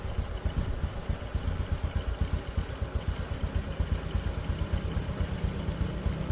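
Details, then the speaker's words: Honda Supra X 125 (KPH) with exhaust refitted after new piston rings and valves for white smoke: quick, even idle putter with no misses or knocks; fairly smooth, no longer smoking. "Nah, ini lumayan halus ya mesinnya tuh. Ini udah enggak ngebul."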